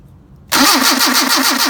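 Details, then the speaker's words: Mercedes 190SL with rebuilt "no machine work" Solex carburetors (39,000 miles; new throttle shafts, trued mating surfaces), throttle linkage disconnected: cold start on choke, firing first try and settling into a quick, even pulsing idle; normal cold start. "Not bad for cold carburetors. So I'm going to increase the RPM so you can get this warmed up pretty quick and do some tuning."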